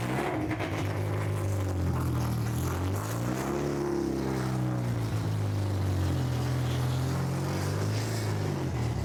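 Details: Honda H22 swapped into a Civic on a FuelTech FT450 ECU, just after first start with open exhaust: deep, loud, unmuffled rumble whose pitch drifts as revs settle. The engine runs evenly; idle to be adjusted later.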